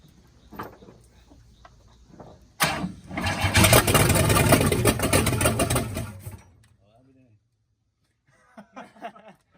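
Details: 1966 Cadillac Eldorado V8 that sat about 40 years, running on gas poured down the carburetor with no exhaust fitted: a short crank, then it catches and runs loud and raw through the open headers for about four seconds before dying as the fuel runs out.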